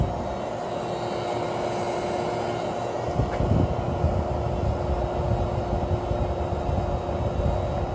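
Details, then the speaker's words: Whirlpool 6,000 BTU window air conditioner, started on low after warming with a heater: steady low hum, fixed mid-pitch tone, no rattles or clunks, slow to cool but smooth; normal compressor running. "'s got a very unique Sonic compressor and it also takes a bit to get cold but it works very well and it's very smooth running"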